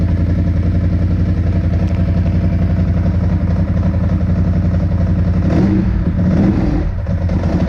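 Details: 2002 Ducati 748 V-twin revived after sitting, with fuel pump and wiring repaired: even thumping idle, then a couple of crisp throttle blips that drop back cleanly; it sounds really nice and runs healthy.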